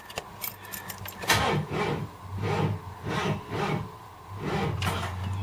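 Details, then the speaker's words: 1978 Ford LTD, hot, alternator giving 13.9 V running; several cranking bursts with engine stumbling but not catching cleanly; still hard to start when hot. "but um yes still seems to have problems starting"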